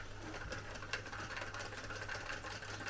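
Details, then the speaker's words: Vintage NOS cassette recorder: a steady mechanical whirr with faint uneven ticking as the transport strains; it fast-forwards only intermittently, reverse fails and play does not work, with broken drive belts audible. "So, it does fast forward, but it does not play. Yeah, I can hear the broken belts. It's weird how it sometimes does fast forward and sometimes it doesn't."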